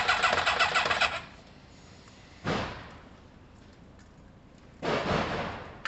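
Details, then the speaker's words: Kawasaki ZL600 motorcycle with new coils, tuned carbs and valves done, leads being tried in a one-four-two-three arrangement: three short bursts of even cranking at about three to four turns a second, never firing; crank-no-start, plug leads crossed. "so it could be um that the bottom one's one and the top one's four bottom ones two and the top one's three so i just need to have a play let's have a play um so we're one four two three i think"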